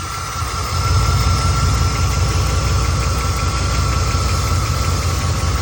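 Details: 1991 Chevy K1500 with 5.7 TBI V8 at idle: light, quick even tick about three per second, seemingly from passenger side; owner suspects injectors, lifters or exhaust leak, cause unconfirmed.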